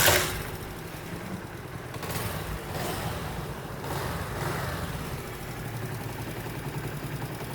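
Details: Honda CD70 motorcycle after timing chain replacement and tappet adjustment: sharp start burst, then soft, even idle with no tapping or chain rattle; the severe engine noise is gone.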